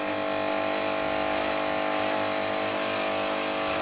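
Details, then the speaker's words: Nivona NICR 788 coffee machine after error 8 brewer gearbox repair: constant buzzing pump drone with faint uneven pulse and no flow; water system airlocked and needs bleeding. "się musi odpowietrzyć ewidentnie teraz będzie że jest zapowietrzony nie pomyślałem o tym pierwotnie zupełni"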